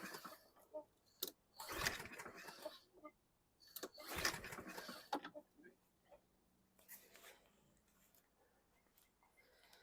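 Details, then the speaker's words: 2016 Husqvarna LC 221AH AWD mower, 725EXI 163cc engine, carb cleaner sprayed in: two or three hard cord pulls with a brief whirring spin, never fires; cranks without starting, plug wire later found not clipped on fully. "I can smell the carb cleaner why isn't it it igniting the um plug wire was not clipped on all the way it was kind of dangling so that's that's no good"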